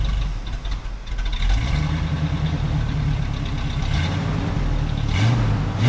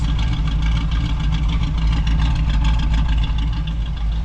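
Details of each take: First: 1967 Camaro V8 after 6 years of neglect: idle hunts and surges, rising and sagging without a steady beat. Owner wonders if the Edelbrock fuel pump gives too much pressure. Two glass fuel filters fitted; rough idle, carburetor to be rebuilt. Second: 1967 Camaro V8 revived after six years of neglect, idle brought down, quiet turbo-style mufflers: even steady low rumble with no misses or knocks, good idle, nothing too radical; normal idle.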